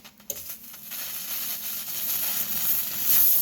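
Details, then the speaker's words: 200 PSI Vapor Rino commercial steam cleaner in dry vapor steam mode with pressure lowered significantly, steam pointed down into carpet to loosen cat vomit; soft airy hiss building gradually; normal reduced-pressure steam cleaner operation. "And so we lower that steam pressure significantly. And if you listen to the sound, you can hear the difference in sound too."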